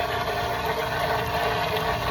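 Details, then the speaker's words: Garden pond pump running short of water with the skimmer door closed and basket lifted out for cleaning: loud steady hum with a rough churning edge and no rhythm; pump starved of water. "and that noise is a loud noise that loud noise is the pump waning water CU I shut you off"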